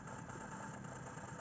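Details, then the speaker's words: Sony TC-560 tape deck DC motor refitted after speed-sensor magnet material was removed: steady high-pitched hum, speed control has no effect, runs at full speed far above normal; damaged speed-sensing mechanism, motor overspeed. "the sensing mechanism does not work so even if I change the speed the speed doesn't change and it runs at full speed much higher than the normal that it should"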